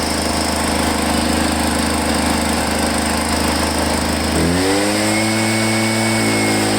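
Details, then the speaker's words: Echo PB-500H two-stroke backpack blower, returned for a no-start, primer now rock hard, fuel line found kinked: steady drone shifting cleanly to a new even speed without stumbling, running well. "wow i don't know it seems to run good but the primer is like solid as a rock"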